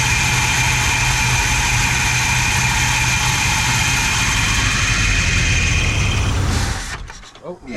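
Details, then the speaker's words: Chrysler 440 big block V8 from a 1974 New Yorker, no throttle linkage, throttle held wide open by hand: roars loud and steady at full throttle, then dies when released; carburetor judged bad, only catches held wide open. "The carb is no good, right? Like it's, I gotta hold it wide open to get it to catch."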